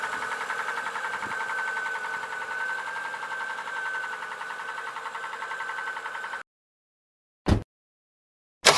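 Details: Unexplained engine knock: even-running engine with a steady pulsing tap about once per second under a whistling tone; origin unknown, car taken off the road for repair.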